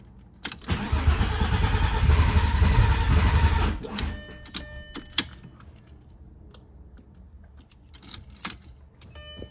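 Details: Freshly built Volkswagen VR6 engine after fuel filter O-ring and part fixes: starter churns rhythmically about three seconds, then only clicks; crank-no-start.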